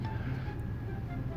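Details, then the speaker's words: 2016 Chrysler Town and Country fleet van with a 62TE transmission, barely rolling: a loud, steady high whine over a low rumble, typical of a worn transmission pump. The transmission fluid was later found deteriorated, with code P0897. "oh that whining noise I will I even make it in the shop okay this is whining pretty bad and I am barely moving"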